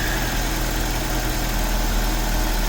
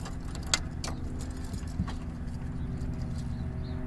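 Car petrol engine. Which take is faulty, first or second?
second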